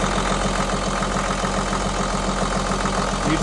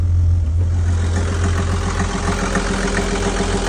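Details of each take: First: Perkins marine diesel just restarted after lift pump replacement and fuel-system bleeding: uneven, slightly stumbling idle of about 214 pulses a minute, with a little sputter from air still in the fuel lines. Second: Perkins marine diesel after lift pump replacement and fuel-system bleeding: even, steady idle of about three and a half beats a second with a constant low drone, no smoke; runs smooth and healthy.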